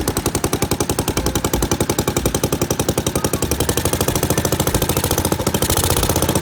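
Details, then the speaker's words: 1963 Wheel Horse 753 garden tractor single-cylinder engine, first start after sitting, with the carburetor, ignition coil, air filter and spark plug replaced: a fast, even popping beat with no misses or knocks, running healthy. "woohoo and it runs all right now I know the doesn't work so I'm going to have to get that replaced but the thing is"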